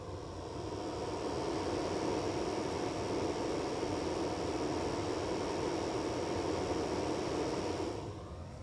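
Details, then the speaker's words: Uni-T UT8805E 5.5-digit bench multimeter, second microphone placed next to the side cooling fan. Constant rushing air with a faint high whistle, loud but smooth and not harsh; normal fan airflow noise, noisier than the owner's other Uni-T gear. "So right here is the cooling fan, and that cooling fan is quite noisy for a piece of gear. I don't believe any of my other Uni-T gear make this much noise. And it's not like a harsh noise, but it's definitely, you can hear the wind noise rushing thr"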